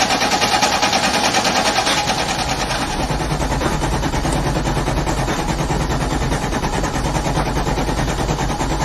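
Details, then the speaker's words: A car just back from being repaired, battery charged for about 5 minutes: the starter cranks steadily at about three turns a second but never fires. Extended cranking with no start; the cause is unclear. "Alright, I just got this car back from being fixed and it won't start for some reason."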